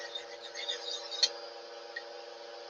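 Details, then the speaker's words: Lathe running cold with a steady layered whirring drone and faint rough hiss; spindle bearing noisy again, owner wonders if the lathe is just cold, cause unconfirmed. "let me just touch it up with the old uh you hear that bearing's quite noisy again"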